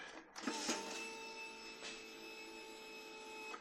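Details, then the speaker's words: C50 motorcycle during rebuild, new fuel pump and new battery, cleaned tank, key on: steady high electric whine about three seconds then stops cleanly; fuel pump priming normally. "All right, let's see what fuel pump sounds like with that on there."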